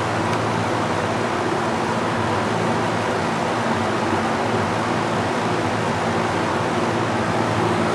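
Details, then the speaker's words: Master Flow EGV5 1450 CFM gable-mount attic fan running normally after install, drawing about 1.16 A at roughly 76 dB: steady airy rush with low hum, no rattles or surges, healthy but louder than the owner would like. "I do wish that that was a little bit quieter because the sound that we're hearing right there I'm gonna have to live with that cinema when the fan runs"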